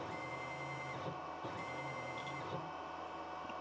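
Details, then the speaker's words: DIY CNC plasma cutter X-axis stepper motor and driver on 24V 21A supply, jogged; steady faint whine and low hum starting and stopping with each jog, no skipping or grinding: normal stepper running. "the xais is the one I'm running right now for that stepper motor over there so if I jog that um xais you'll hear it actually you'll hear the stepper motor driver"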